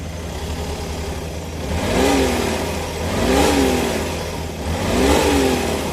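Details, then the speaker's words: Suzuki DA64W with turbo K6A engine, freshly overhauled yet still low on power and leaking. It misfires slightly, and the exhaust pops unevenly over three slow revs with no turbo whistle building. "Medyo palyado po siya gamay. Kita na to diha mga idol nga murag nagbuto-buto ang andar sa iyahang exhaust mga idol."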